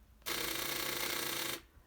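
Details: Van that won't start after being stored, with dim dash lights: a harsh, rapid solenoid buzzing chatter lasting just over a second with no cranking, from a flat battery.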